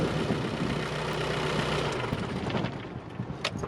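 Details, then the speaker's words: 1994 Isuzu Elf camper, 4JG2 diesel, just after an oil change with new oil and fuel filters (fuel filter primed and bled) and the intake refitted: an even diesel clatter at steady idle, no misses or knocks, then tapering off; being checked for leaks; healthy. "All right, you hear it sounding great. Just checking to see if everything's good to go, not leaking."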